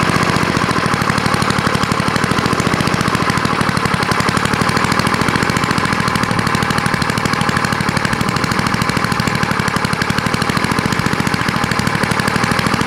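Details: Vintage small single-cylinder snowblower engine after carburetor bowl cleaned with carb cleaner: quick, even firing pulses at steady speed, no misses or surges; running evenly.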